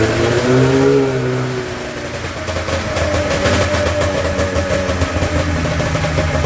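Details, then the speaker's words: Polaris snowmobile with a newly fitted fuel pump, primed with fuel poured in. It fires and revs briefly, then bogs into a rough stumble and dies, the same problem as before the pump. The owner is unsure whether spark or fuel is at fault. "bogged off and blew and died there. That is the problem I was having."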